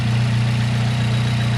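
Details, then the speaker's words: Car with BC stage 2 plus cams and a newly installed Fab9 Elite intake, just after an easy startup: smooth, even low hum with no knocks, misses or hunting. Healthy, quiet idle. "Easy startup. I would say pretty quiet."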